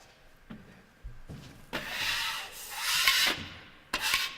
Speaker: you can hear you hit that one. You can hear it tick. Just take your screwdriver, and it misses. If you can hear it when this goes over them, it'll come back to haunt you when you're trying to finish the wall.